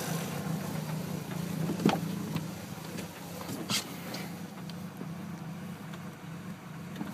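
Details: 2002 SVT Focus petrol engine with a very rough, uneven, lumpy idle that wavers; plugs already replaced, battery and alternator tested, cause unknown.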